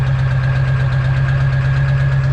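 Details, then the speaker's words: Landscaping-fleet diesel dump truck with bigger injectors, higher mileage and weak batteries, cold start at -2°F then warm-up idle: deep, steady diesel clatter, no misses or stumbles, pouring smoke; tougher to start but started; normal cold-start idle. "it started though you know it's got bigger injectors a little bit tougher of a start it's got more miles on it so it's it's been a great truck though"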